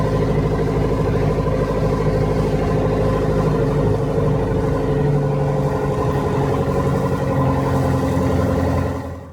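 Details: Perkins 4.203 diesel in a 1975 Land Rover Series 3 109" idling with an uneven, chuffing beat under its clatter; blown head gasket, later confirmed when the head was pulled.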